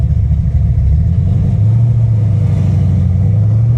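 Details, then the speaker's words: V8 with a big solid roller cam on an ACES Killshot fuel-injection conversion, on the road under light throttle: a deep, loud rumble with a choppy, uneven lope, normal cam lope from a healthy engine. "they just have their own tuning quirks they all do listen to that cam y'all listen"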